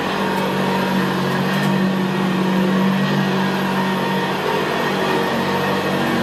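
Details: 1975 Hoover Senior Ranger U4002 vintage upright vacuum cleaner in use on carpet: steady, even, very quiet motor hum with a low gravelly brushroll growl; normal healthy running.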